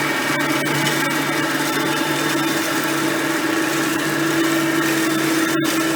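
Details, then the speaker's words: Hoover Platinum Collection lightweight bagged upright with a digital on/off switch, on high speed: steady even whir with a constant mid-pitched hum, no rubbing or grinding. Normal running, quiet direct-air vacuum. "as you can hear both are pretty quiet vacuums for being that there are both direct air based vacuums"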